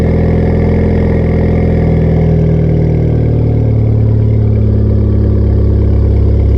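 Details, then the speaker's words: 2016 Ford Fiesta ST salvage rebuild, 47,000 miles, cold start: loud, deep droning exhaust at fast cold idle, steady and even, settling slightly lower; straight-piped exhaust at cold idle, running fine. "47 000 miles can't run outside so you can hear it on a cold start see"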